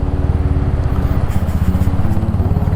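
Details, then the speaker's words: Royal Enfield Hunter 350 single riding after tappet fix and leg guard adjustment: steady, even low thump with no rattle or loose metal clatter; previously very noisy, now quiet. "अभी बिल्कुल आवाज नहीं आई ये वरना बहुत ज्यादा आवाज आती थी"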